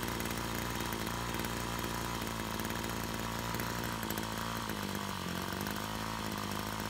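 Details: Brush cutter two-stroke after repair of a fuel leak from a split hose (it had stalled while mowing): steady, even buzz at constant speed with a brief dip near the end; running cleanly and normally.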